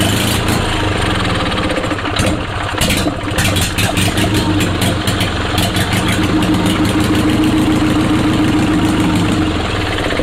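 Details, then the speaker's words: Onan Performer 20 HP twin, bought to repower a John Deere 850 compact tractor: steady idle with twin thumps, slightly lumpy but holding speed with no knocks or misfires; it runs. "that's a big side relief though that she runs like that she's a runner baby she is a runner"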